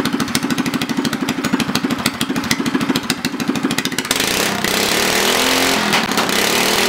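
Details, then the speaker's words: Homemade go-kart with a Predator 212cc engine, governor removed, stock valve springs just replaced with heavier Honda 18lb springs, kart on jack stands. Steady single-cylinder thump revving up smooth and even, no valve clatter: normal running. "all right so before I wrap up fire it up good sounds good runs good"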